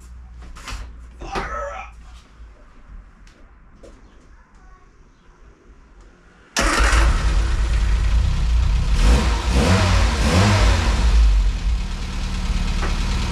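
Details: 1970 Mini Cooper S Mk3 just after its carbs were rebuilt and timing set: quiet handling noise, then the engine catches and settles into a steady, even idle with a firm low beat. Sounds good and runs healthy.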